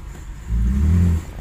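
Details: 1985 Cadillac DeVille 4.9L with no power, rough idle, stalling, many parts already replaced, hot day: pedal floored but only a short, dull low rumble that barely climbs; feels fuel-starved.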